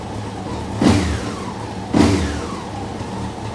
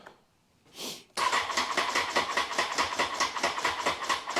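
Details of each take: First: Honda CBR954 Fireblade after six-month rebuild: even idle with two clean throttle blips, no misfire or rattle; runs and shifts through all gears, though cuts out when tank dropped (suspected nipped hose) and thermostat weeps water. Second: Honda CBR954 Fireblade, first start after a six-month rebuild including gearbox work: the starter turns over slowly, about two or three lazy pulses a second, without firing. The battery showed full charge, yet slow cranking points to a weak battery.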